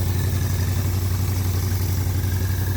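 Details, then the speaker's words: V8 engine converted to air compressor, running on four cylinders with governor working: even, steady low rumble with smooth regular pulse, no knocks or misses; normal running. "Yeah, that is just so cool. I mean, it runs really good for only being on four cylinders."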